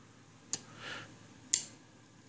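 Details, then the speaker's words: Homebuilt ROV ballast system, depressurize solenoid valve cycling from a controller button: crisp dry clicks about once a second with short air hisses between, no air in the tubes; normal operation. "hear it clicking on and off there's no air in the tubes so obviously it's not escaping"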